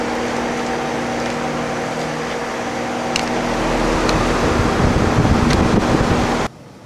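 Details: Newly installed heat pump after refrigerant fill, outdoor unit running on low: soft, steady fan whoosh with a faint hum, compressor barely audible, no knocks or rattles; running quiet and healthy.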